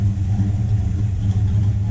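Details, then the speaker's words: Buick Skylark V8 after carburetor work with two-circuit gasket, idle just set, mixture screws about two turns out: deep steady even low rumble, no stumble or miss; running smoothly, some fuel leaks and rear float level still to sort. "I just set the idle on it mixer screws are all right about two turns out yeah running pretty good"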